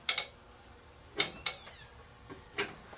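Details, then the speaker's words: Funai TV with Samsung panel, powered up with the screen unplugged after bypass caps were added: a sharp squeal lasting under a second at switch-on, then faint relay clicks. The main board is suspected shot; the set is likely beyond repair. "If it squeals again, then something's shot on this board. And it did for a second there, but I think this board's shot."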